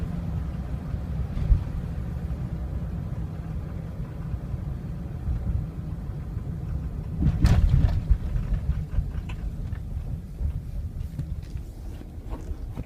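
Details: 2003 Ford Excursion 6.0L Powerstroke diesel, warmed up: deep idle that lopes unevenly with a surge and stumble; rough idle that worsens as it warms, stumbling or stalling when coasting or idling long, while cold starts are fine. Cause undetermined.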